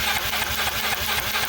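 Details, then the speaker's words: Yamaha Mio M3 scooter that bogs, misfires and lacks power. On a spark test while turning over, uneven crackling snaps about five a second show the spark dropping out. Intermittent ignition spark, traced to a faulty ECU. "pengapiannya atau api yang keluar di sini ternyata putus-putus teman-teman inilah yang menyebabkan sehingga motor ini ngempos kemudian brebet dan tidak bertenaga"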